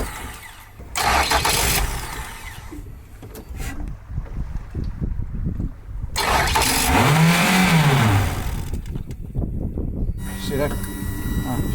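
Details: Island speed boat outboard being troubleshot: repeated cranking bursts that catch, rev roughly for a few seconds and die; hard starting, won't keep running, with an air-like hissing heard.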